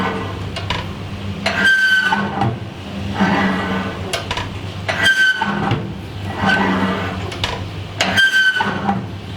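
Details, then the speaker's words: Old oven being replaced after eight years: the door squeals loudly on each swing, a high creaky tone with a clunk; it no longer closes properly and won't heat past 200 degrees when set to 250. "or the door squeaks like crazy listen to this"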